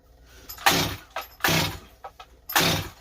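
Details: Stihl 025 chainsaw rebuilt with new Meteor top end, carb low jet adjusted: three rope pulls each giving a brief sputter, never catching; owner suspected bad carb and it sounded flooded, actual cause fuel starvation from blocked tank vent.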